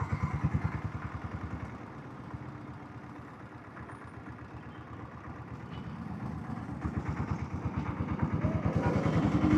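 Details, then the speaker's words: Diesel Bullet single after oil service: steady, even slow thump with no tapping; the inner sprocket sound present for about a year is now gone, engine running normally. "அப்போத்துல இருந்து அந்த sound வந்துட்டே இருந்தது. இப்பதான் சரியாயிருக்கு ஒரு வருஷம் கழிச்சுதான்."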